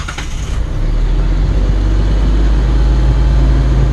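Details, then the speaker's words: 2006 Hyundai Santa Fe 3.5 V6 with intermittent P2100 limp mode (throttle body already replaced), run with the fail-safe relay unplugged: steady, loud drone held high around 2100 rpm with no dip or hunting; limp mode caps speed at 30 mph. High idle in limp mode. "about 2100 RPM driving it as a limp mode 30 mile an hour"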